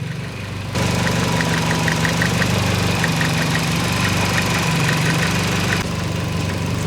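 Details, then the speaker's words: Nissan-Honda swap JDM truck running 100% ethanol, new coils, cleaned fuel system: steady even warm idle with light regular tick about four per second, no misses; engine sounds healthy. "so that's all cold stuff right the engine sounds super freaking healthy it still sounds good"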